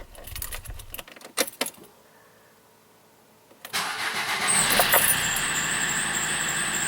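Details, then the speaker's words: Opel Corsa D 1.3 CDTI diesel, cranking then idling: thin steady high squeal over the idle; owner first suspects the accessory belt, cause not yet confirmed. "hat's nun auch uns erwischt dass der Corser ein ziemlich störendes quietschendes Geräusch von sich gibt und da wollen wir dann mal nachschauen was es sein kann"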